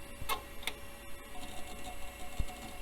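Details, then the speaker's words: A few sharp irregular clicks as the old hard drive spins up in a Compaq system with an AMD K6-2 CPU; heads seem to stick and unstick but it still boots. "seems like the head's getting stuck and unsticking itself it is making it though"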